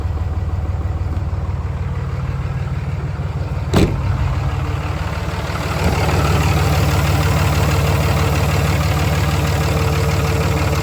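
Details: 5.9 Cummins diesel first start after oil change, fuel filter change and front suspension grease, checking for leaks; steady even idle with firm low rumble and one sharp tap early on, no misfire or knock, normal idle.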